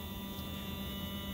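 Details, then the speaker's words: Athearn Genesis MP15 model locomotive motor at 12 V after running a while in both directions, clamped in its cradle on the bench, drawing about 0.0975 A: light, even whir, steady hum, no rasp; sounds way smoother than before. "it should be even louder than it was but actually it sounds smoother I don't know if that I don't know if you can pick up to me this sounds way smoother"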